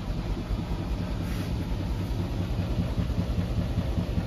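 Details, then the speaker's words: Whirlpool WFW6620HW washer spinning after its drain pump filter was cleaned to fix poor draining and an error code: even rumbling spin with a steady drum roar, no scraping or banging; pump unclogged, draining normally. "so now the water is draining perfectly fine the pump is not clogged up that's very good"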